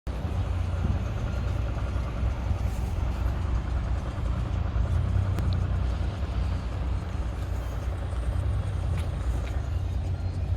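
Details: Audi A4 3.0 TDI diesel (218 PS) with a loud, deep, steady clatter and dense rattly roughness over the idle from the engine bay; a defective oil pump is suspected but not confirmed.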